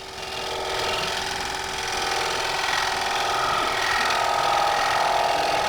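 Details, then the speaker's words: Wood platter on the lathe during a cleanup cut: a rough rhythmic rattle about once per turn as the tool crosses a crack in the workpiece, causing tool chatter. "so now I want to get a little bit cleaned up here you can hear the chattering from the crab so this might be a design"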